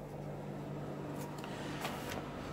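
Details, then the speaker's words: 2017 Bailey Unicorn caravan air conditioner switched on from its control panel: a steady low hum with a constant fan rush and no rattles or cycling, running and chilling normally. "so there you go the air con is now on um and chilling"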